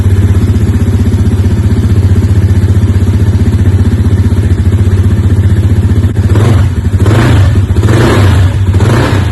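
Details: Polaris Outlaw 110 EFI four-wheeler after freeing stuck starter brushes (previously only clicked): small engine runs even quick thump about four beats a second and revs cleanly on several blips; normal running.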